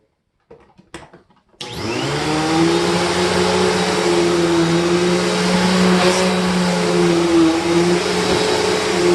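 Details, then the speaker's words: Simplicity or Panasonic upright vacuum on carpet after belt change: steady, even motor roar with constant pitch, no squeal or sagging; belt drives the brushroll properly, running better than with the stretched, slipping belt. "okay this is running a lot better"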